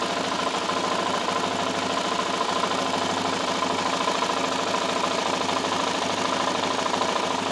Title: ticking noise ltz 400 part 1.AVI